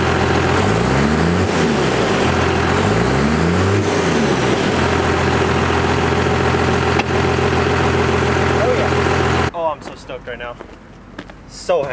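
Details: 1st-gen Cummins diesel after readjusting the injection pump power screw for the new 3200 governor spring: steady idle, two clean blips straight back down with no hang, then settles evenly; revs return to idle normally.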